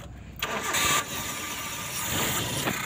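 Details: Suzuki Carry 1.5 after repairing the starter motor armature, fixing a heavy "klak klek" starter: brief crisp cranking, then the engine catches almost at once and settles into an even idle; starter spinning freely.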